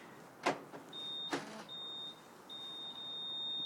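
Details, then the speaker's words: 2007 Renault Clio 1.6 with paddle-shift gearbox that won't start. After two lock clunks, a thin steady motor whine runs for about 30 seconds after locking the door and starts again if the door is opened. The cause is unknown. Motor whir after locking. "so it starts this noise now it's a new thing when you lock the door it goes there for about 30 seconds if you could open the door it starts again"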